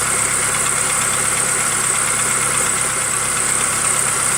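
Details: 2005 Jeep TJ 2.4L PowerTech at idle with a faint uneven light knock about three a second; suspected piston slap on cylinder 3, unproven.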